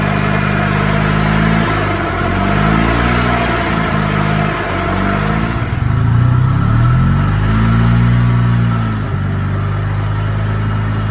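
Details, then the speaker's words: 1995 EZGO golf cart after a refreshed Robins engine was installed, first start: the small single-cylinder engine idles and revs smoothly and much more quietly, with the earlier rod knock gone. "The difference, much quieter. It's not knocking no more."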